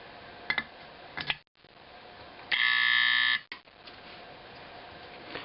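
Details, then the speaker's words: Simplex 4051 24 V DC horn being converted to a 24 V AC 4050, mid-adjustment: a short, harsh, rasping buzz that is too loud and edgy. The adjustment is not yet right. "Sounds kind of scary, actually. Too much."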